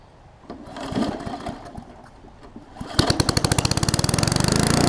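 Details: Old Murray push mower with Briggs classic single-cylinder engine: it cranks a few times, catches and runs on with a steady, even pop-pop exhaust beat; normal running.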